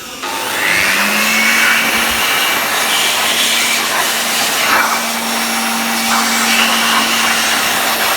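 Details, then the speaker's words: Fakir 1200 W cordless upright vacuum motor after repair of a burnt, broken black wire: steady high-pitched whir at even speed, no crackle; motor runs normally. "Şu an için motorumuzu testini yapacağız."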